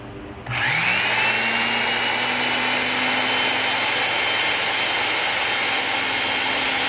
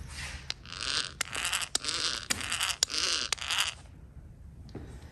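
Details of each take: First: Van Dorn electric drill, at least 74 years old, running after cleaning and fresh grease during restoration: a steady, even whine with no grinding, quieter than before and speeding up slightly as the grease works in; normal running. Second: Roughly 75-year-old Van Dorn electric drill during restoration, gearbox opened and gears turned by hand near camera: dry rasping scrapes in bursts about twice a second; no grease visible, owner suspects lack of grease made drill loud.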